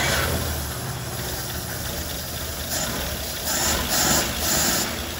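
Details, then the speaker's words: 1939 Dodge D11 sedan six-cylinder, unrun about 20 years, fires up after float bowl filled via carburetor vent; uneven but steady beat settling into normal running, smokes a little as expected after long storage. "uh so it cranks right up now we'll fire it back up here so"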